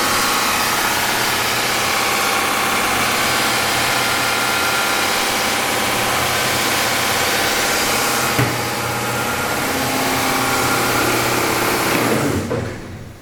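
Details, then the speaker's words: Bridgewood BWS 15 15-inch open ended wide belt sander: loud steady rushing run at constant speed, no knocks or squeal, then thump and quick wind-down as brakes engage as they should; normal running. "It raises and lowers as it should. Everything functions on this machine."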